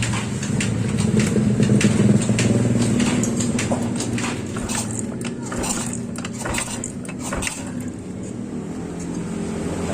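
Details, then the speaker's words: Yamaha Mio scooter after repairing a loose, wobbly kick-starter shaft: starts and settles into a steady, even idle; CVT-side noise previously rough is gone, runs smooth. "Oke. Bunyinya sudah halus. Pada bagian CVT itu tidak berbunyi lagi, karena sebelumnya motor ini pada bagian CVT itu kasar."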